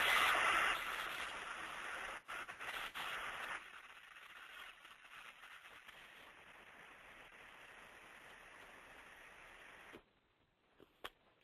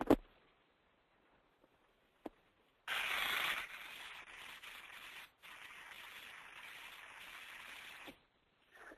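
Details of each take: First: Electric motor bearing heard through an ultrasound instrument while being greased: a loud crackling hiss of separating, popping grease drops in steps to a quiet, even rush as the grease reaches the bearing. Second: Ultrasound baseline before greasing a 100 hp electric motor driving a 500 gpm pump: rough hissing crackle and pops as grease separates in a bearing lacking lubrication.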